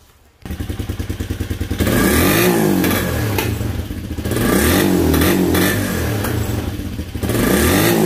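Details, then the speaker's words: Motorcycle with intermittent bogging at 6000–7000 rpm, spark and plug-indicated mixture judged good: several rapid cranking chugs before catching, then uneven surging revs that stumble and bog; hard starting, fault intermittent, cause not yet found. "cuesta mucho prender se ahoga ahora de nuevo tengo la falla a esta falla es muy muy intermitente"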